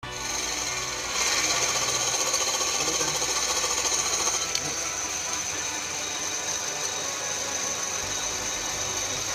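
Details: Peugeot 207 engine running: high rhythmic squeaking about three times a second from a seized water pump and serpentine belt tensioner.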